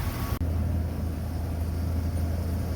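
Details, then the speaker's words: 2003 Dodge Ram V10 8-liter idling with hood closed after belt tensioner pulley replacement: low steady rumble, no chirp or squeak from the belt, much quieter than before; chirp fixed. "So we were getting chirping, I can't even hear it with the hood closed down. You barely hear a noise there. So again, it's just the engine's running."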